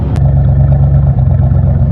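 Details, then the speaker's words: Ford LTD with original Motorcraft carburetor, sputtered and nearly stalled on the road; fuel pump checked, carb retuned with little improvement. A few minutes after starting, loud low idle with slightly uneven, lumpy pulse and brief dip; missing a little, cause unconfirmed. "I don't know if you can tell on camera, but in person you can kind of tell it's missing just a little bit."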